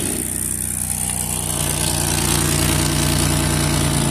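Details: Idle on a van just after refitting the exhaust: a loud, busy idle with an even puffing beat of about four a second over the engine hum. It is first thought quiet, then found still leaking, pointing to an exhaust leak.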